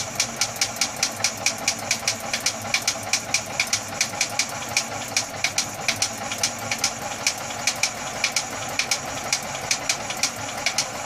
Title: Atomic 4 Popping noise